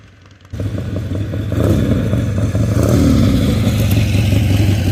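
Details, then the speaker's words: Harley-Davidson Ironhead Sportster after setting timing with timing light: steady loping V-twin idle about three thumps a second, even and clean, no misfire or backfire; normal idle. "so I'm back at the shop and this thing runs great I just finished riding it around"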